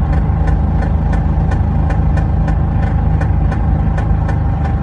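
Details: Range Rover P38 4.6 V8 while driving at 2,000 rpm and above under load: a regular sharp ticking, about three per second, over a loud engine drone; the cause of the rhythmic noise is unclear.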